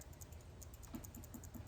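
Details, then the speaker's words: Coleman 502 single-burner stove check valve being shaken: a small ball rattles freely with light quick ticking, meaning the valve is still good and can be cleaned with carburetor cleaner rather than replaced. "you'll hear like a ball bearing shaking around in there."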